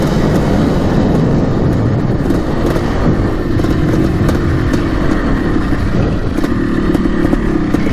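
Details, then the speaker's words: 1987 Yamaha YZ490 two-stroke after carb cleaning and new fuel, riding: raspy note pulls through the revs cleanly without bogging, crisp and even over rough riding noise, burning much better; normal two-stroke running. "not as boggy now looks pretty good burning a lot better now that we've got the new fuel"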